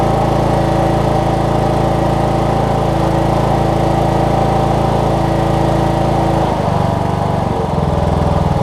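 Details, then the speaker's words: Cub Cadet riding mower with Kohler Courage single-cylinder engine, after a carb kit fixed a leaking carburetor: holds a strong, even speed with smooth, regular firing. "Best running Kohlers I think I've ever seen. My goodness. Kohler Courages anyways."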